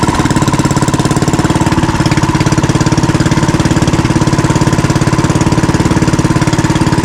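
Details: Fishing-boat (bangka) engine running healthy after its earlier misfiring was fixed, with the shaft (ehe) secured to its bushing and no shaking; steady, even chugging with a clean regular beat and no stumbles.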